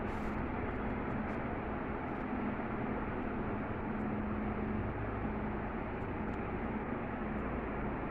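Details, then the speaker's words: 2000s Crompton Greaves Exotica 48-inch 4-blade underlight ceiling fan (280 RPM, 60 W, 220–240 V), final test run after reassembly: low, even hum with faint steady tone, no ticks, rubbing or wobble; runs smoothly, healthy. "so guys let's do the final test run yes i know this is a little bit crooked the bulk thing but can't do anything for now so we'll fix it on later but for now test run it's good"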